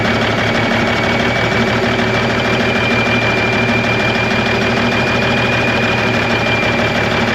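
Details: 1991 Freightliner, Cummins NTC-365 with bad throttle lag, fed from a fuel bucket bypassing the ECM cooler plate: loud steady clatter with uneven lumpy beat, running rough and sounding worse; cause suspected, unconfirmed.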